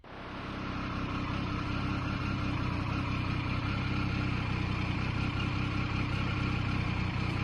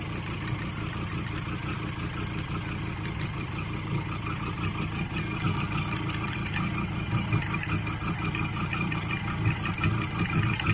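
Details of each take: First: Triumph 900 Trident triple after alternator rattle fix (bolt refitted with Loctite and tightened): even, steady idle with smooth low hum, no rattle or tapping; sounds healthy. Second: the center bolt that runs on the shaft on the inside loosens up and that impeller is on a spline and this just starts to Rattle on the spline and boy oh boy it sounds like the bike's going to fly to bits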